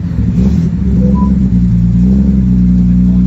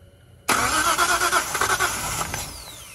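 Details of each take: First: Datsun 240Z with a freshly installed L28 inline-six and a 280ZX five-speed, after install: steady even hum with no misses, a clean rev blip, then a settled idle. Smoothest this motor has ever run; idle still to be adjusted. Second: Datsun 240Z with freshly installed L28 engine, first start: catches with sharp irregular pops and crackles over ragged cranking, backfiring because plug wires on cylinders two and three were swapped. Backfire on starting from crossed spark plug wires.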